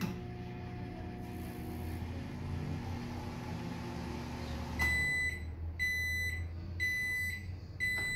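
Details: Philco microwave that would not turn on, after replacing a blown fuse with a new 10 A fuse: even low hum with steady fan drone, then repeating beeps; powers up and runs normally.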